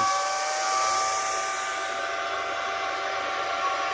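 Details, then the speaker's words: Bitmain AntMiner S9 Batch 3 (12.93 TH) after boot-up: loud steady rush of fans at full speed with a thin, constant whistle on top, from air acoustics through the unit. Normal fan operation. "you can hear that Whistling noise that's some air Acoustics something going on with the air Acoustics going through everything it's pretty intense"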